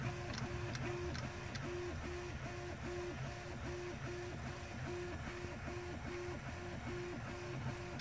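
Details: Prusa 3D printer after being lifted: stepper motors hum in an even pattern about every half second with the clicking gone, so it prints normally.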